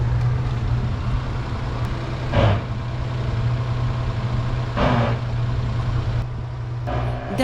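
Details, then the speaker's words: 1958 Rover P4 on its first drive after a three-month restoration: steady, fast, even idle drone that never settles lower; idle set too high made first gear hard to select, so it was lowered slightly. "The idle speed was a little too high, making it really difficult to select first gear, so we lowered it slightly and gave it another go."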